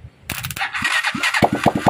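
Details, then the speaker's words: Honda TMX 125 engine converted to 175 with new crankshaft, gears, oil seals, carburetor, new battery, owner's ignition coil and CDI; previously wouldn't start: after short crank, catches into even single-cylinder beats about five a second, steady, running fine. "Ngayon ito naman, oh, sa Sir. Hila-hila, ngayon naman naandar na. Yan, tatakbo na yan."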